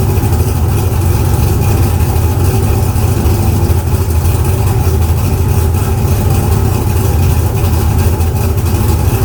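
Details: Car "Fancy" after a 6.2 LS swap replacing a 406 SBC with an out-of-balance Scat crank: deep, steady V8 idle with an even, solid beat and no misses or stumbles.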